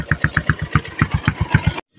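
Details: Yamaha Sniper 135 motorcycle, electric starter: crisp, even cranking about eight beats per second then clean cut; starter spins engine strongly, works properly.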